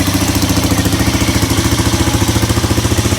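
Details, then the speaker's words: Polaris Sportsman 300 ATV after replacing the carburetor with a new one: single-cylinder steady, even thump about three and a half beats a second, running without choke; normal idle, though a fuel hose leak remains. "But hey, at least it started and ran without the choke being held. So, I think that is the fix."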